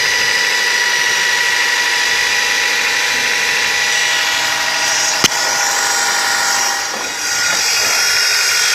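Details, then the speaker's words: Nissan Tiida: on starting, a harsh grinding whine like a grinder sharpening a knife comes from the accessory belt and pulley area and gets louder on the throttle. The owner says it is not a pulley; the cause is not yet confirmed. "Y es parecido al ruido que hace un esmeril afilando un cuchillo, y ese ruido aumenta cuando se pisa el pedal del acelerador."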